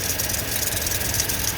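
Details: 2000 Toyota Tundra 4.7 V8 automatic, engine replaced, idles with an uneven, lumpy low beat and flashing check engine light, shaking worse when driving: misfire from crossed ignition coil wires and a damaged coil connector.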